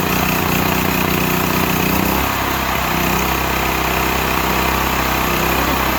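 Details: Used Stanley 8000 W all-weather generator, sat four years, started on starting fluid, meter reads 52 Hz and 7 (possibly 7 hours), new air filter; mic farther away, loud steady drone, even firing, slight speed settle, works fine.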